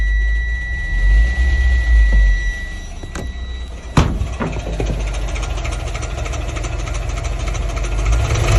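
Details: Subaru Exiga 2.0 GT STi gearbox fault, car won't drive forward or reverse: thin steady high whine over the idling engine, then rough uneven grinding when engaged; cause not identified.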